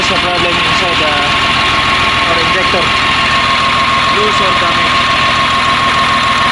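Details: CAT 950H wheel loader diesel, error code 36 for number one injector open circuit: idle with an uneven, stumbling beat and a steady whine on top. One injector not functioning, so misfire and low power.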